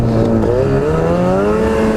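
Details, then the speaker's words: Ski-Doo snowmobile riding after a 14-inch Vermont snowstorm, fuel gauge reading full: under throttle going uphill the engine note sags and wavers, then picks back up. Bogging; owner suspects running low on gas. Unconfirmed. "oh there it is again she's bogging what the heck man it actually when I was going up the hill both times wasn't it so maybe I am getting long gas"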